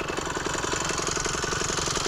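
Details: Phantom 85cc two-stroke motorized bicycle engine, not yet fully broken in, after piston pin bushing replacement, warm after a run to about 42 mph, possibly running a little hot from the fuel mixture: quick, even idle putter, steady firing, no misses or knocking.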